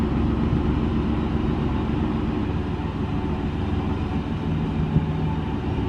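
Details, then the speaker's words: Old rusty Chevy pickup being revived after sitting, which was very difficult to start on the previous attempt; dull, uneven cranking rumble with no clean catch, slow to fire: hard starting. "I'm gonna go try and fire it up again because it was so difficult last time."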